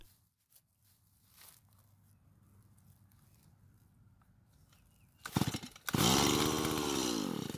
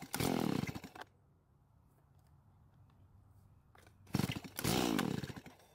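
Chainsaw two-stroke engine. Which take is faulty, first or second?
first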